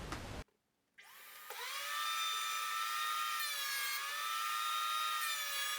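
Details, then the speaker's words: Makita 2012NB planer thicknesser with freshly changed blades after a year of heavy pallet-wood use, dust extraction running, board fed through: steady high cutter-head whine that barely dips, extractor roaring underneath. Cutting cleanly. "it's a very noisy machine so I always wear a protection and always wear eye protection"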